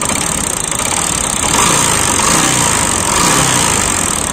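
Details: Bajaj Discover motorcycle in for engine work, with smoke problem: rough idle with busy, clattery mechanical rattle over exhaust beat; piston or timing chain noise suspected, not confirmed.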